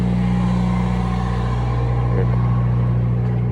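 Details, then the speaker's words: Cummins 4BT four-cylinder marine diesel generator on a 94' Broward yacht, after replacing fouled injectors that caused smoke, smell and water sheen; now clean. Steady, even low diesel drone at constant speed, no misses or knocks; normal running. "So I think that the injectors just really needed to get replaced on this one. So I think we're good."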